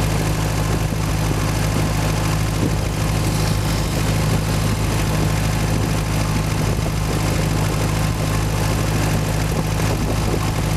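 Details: Boat inboard engine under way on sea trial at cruise, 1500 rpm, 60 psi oil pressure, water temperature about 130: deep steady drone with even low beat, no knocks or misses; normal running, though engine died shortly after, owner suspects clogged carburetor.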